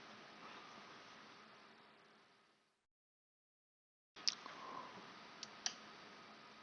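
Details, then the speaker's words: Magnetic solenoid of an electronic CO2 regulator (carbon doser), opened on the bench and energized: a quiet pause, then three crisp metallic snaps as the plunger pulls in and releases; working as it should. "gets goes in comes out goes in comes out and jumps and that's how the soleno it's supposed to work oh very cool learn something every day"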